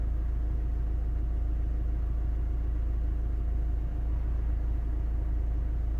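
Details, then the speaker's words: 2012 Opel Astra J diesel (listed as both 2.0 and 1.7 CDTi) with P2004 manifold runner control code. Engine idling while the intake swirl flaps are commanded open and closed by scan tool: no valve feedback, and the steady diesel hum does not change in tone or speed. "the truth is opening or close makes no difference on the engine tone on the engine running"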